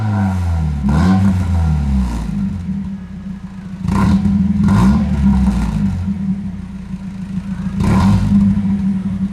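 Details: 1990 Mazda Miata with a new replacement exhaust, fitted after a catalytic converter change failed to cure a rattle. Three sharp throttle blips over a deep, loud idle; the engine revs cleanly and settles.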